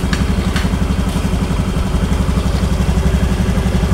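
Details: Honda Scoopy ESP scooter after engine repair of a rough whining noise: idle then throttle, with a steady, even low putter at about four beats a second and no knock or rattle; sounds changed from before the repair.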